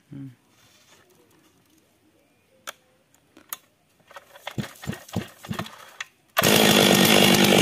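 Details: Stihl MS 382 chainsaw after fixing a no-start problem: after some quiet and handling clatter, it bursts into a strong, steady high-revving scream with no stumbling, running properly.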